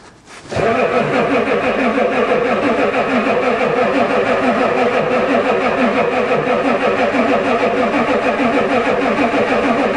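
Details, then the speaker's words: Ford diesel truck at +4 °C with a newly fitted glow plug controller that never clicked, owner suspects it doesn't work; diesel smell: long, steady starter cranking at about three beats a second on the two best batteries, never catches; cranks but will not start. "come on come on well that was my two best batteries a no luck"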